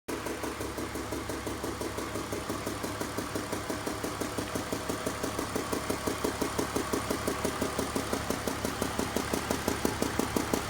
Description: My 2002 BMW 320i has been making this ticking sound. The sound appears to come from cylinders 3 and 4.